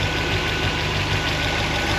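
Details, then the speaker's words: 1976 Corvette Stingray, 5.7L bored .060 over, solid lifters, not yet warm (just over 100°): steady idle with light even ticking; normal mechanical valvetrain noise, problem fixed. "that sounds like normal valve train noise mechanical [Music] noise [Music] that sounds like a win to me"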